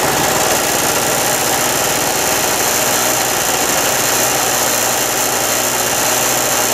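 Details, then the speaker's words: Harbor Freight mini generator after clearing flooding from storage with fuel valve open: small single-cylinder engine runs steady, even buzz, no misses or surging, powering an electric heater; normal running. "I'm going to let this thing run till it runs out of gas I got my little electric heater plugged in there thing will uh it will run that electricator"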